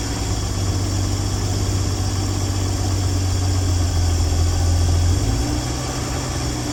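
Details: 1965 Dream van engine at steady, even low idle rumble with no knocks, misses or hunting, after wiring short repair, horn relay replacement and earlier oil pressure line failure; running smoothly and healthy.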